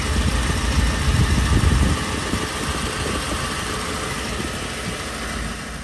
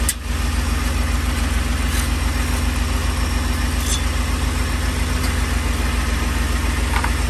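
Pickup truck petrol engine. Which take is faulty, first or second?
second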